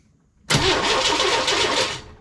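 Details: 1998 Chevy work truck with no spark, new crank position sensor fitted, ignition module and coil showing 12 V while cranking: brief quick pulsing crank about 1.5 seconds, no firing; crank no start, cause still being traced.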